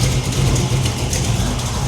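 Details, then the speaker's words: 1987 Chevy Monte Carlo SS V8 idling: sharp irregular ticking over low idle; Mr Gasket header gasket leaking on one side, to be replaced with Remflex gasket as on the other side; not drivable yet. "Rim Flex does great uh but you can definitely hear it leaking on the other side so I can't be driving anymore"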